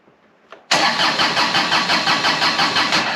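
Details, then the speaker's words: John Deere X758 diesel after an air and fuel filter change, retried with a bit more throttle: it catches abruptly, then runs with an uneven loping pulse of about three beats a second and puffs white smoke. A hard start. "Oh, it wants to. Boy, this thing is stubborn. And I know this engine likes its glow plugs."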